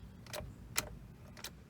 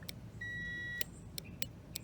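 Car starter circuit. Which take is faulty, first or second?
first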